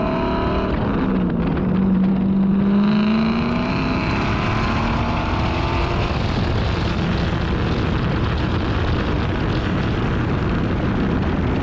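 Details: Car engine driven after new spark plugs fixed its misfire and a new ignition coil was fitted: it pulls cleanly under way with an even, steady drone and no stumbling or popping; smooth running engine.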